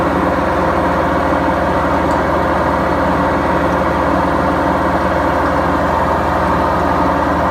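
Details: Beko washing machine, 7 years 8 months old, during spin: loud, steady deep roar with a constant low hum and no knocking, from worn drum bearings.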